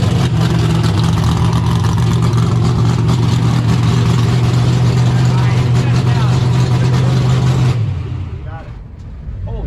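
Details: 1972 AMC Javelin, motor long unrun, started in park: fires into a strong even lope with clean blips, then shuts off; good oil pressure, no smoke, normal idle and revs.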